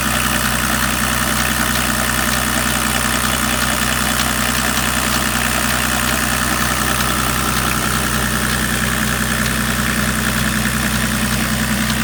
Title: Bruit moteur anormal BMW 525 TDS E34 (3)